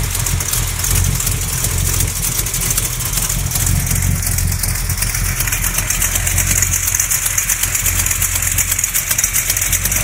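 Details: Small-block Mopar 360 V8 with XE268H cam, stock valvetrain, KB107 pistons, and new lifters and main, cam and rod bearings: steady idle with a fast, even knocking tick; not an exhaust leak, cause unknown.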